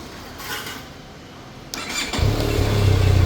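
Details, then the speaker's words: Benelli TRK502 motorcycle: with the ignition on the fuel pump whirs, then the engine catches within a second and settles into a steady, low, even idle, a normal start. "Okay, vehicle starts, ignition on. I can hear the fuel motor running."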